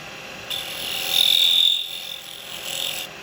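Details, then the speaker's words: Lathe turning a miniature cowboy hat from dry, seasoned wood, during a gouge scrape cut on the thin, unsupported rim: a shrill, buzzing squeal swells and fades, which is chatter; the advice is to put a finger behind the rim. "the Final Cut mustn't make that noise did you make that noise on your final cut these are gonna have a bit of chattering on there we love chatter marks"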